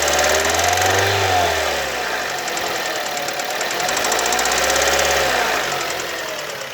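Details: Kia Ceed engine: sharp, regular metallic knock about four per second, quickening with revs; only when warm, not when cold. Valves adjusted and within tolerance, so owner rules them out; cause unknown.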